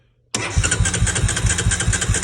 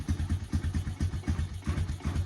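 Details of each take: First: 2003 Honda Recon 250 ATV that sat unrun for many years, on a boost voltage source: starter spins the engine briskly with even compression pulses for about four seconds, but it never catches; cranks without starting. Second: 2003 Honda Recon 250 ATV engine after sitting unrun for many years, first run on a new ignition and solenoid, choke sticking: single cylinder thumps at about four beats a second, steady and even with no knocks or misses, a healthy idle.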